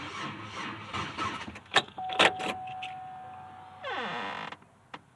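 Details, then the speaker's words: 2006 Pontiac Grand Prix after top-end swap, crossover pipe not fitted, fuel lines checked with no leaks: steady electric hum of the fuel pump priming for a couple of seconds at key-on, but the engine never catches; no start. "i don't know i hear the fuel pump kick on when i turn the key so i know it's got fuel yeah it's got fuel"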